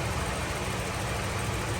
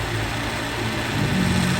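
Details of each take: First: Toyota Revo at idle with AC running, after oil was added to a noisy compressor that had run dry of oil: smooth, steady low engine idle with no grinding, rattle or whine from the compressor. Noise gone; normal compressor operation. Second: Toyota Revo diesel idling with AC on: rough, steady internal mechanical hum from the AC compressor, suspected dry of oil, e.g. after cleaning without adding oil.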